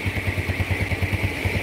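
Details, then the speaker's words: Yamaha Jupiter Z after a total engine restoration (crashed into a truck, engine wrecked) with an original boring set fitted: smooth, even idle pulses about eight per second, no knocks or rattles; normal idle. "ceritanya motor ini nabrak truk mesinnya ajur-ajuran suaranya nggak jelas ini udah kita restorasi total"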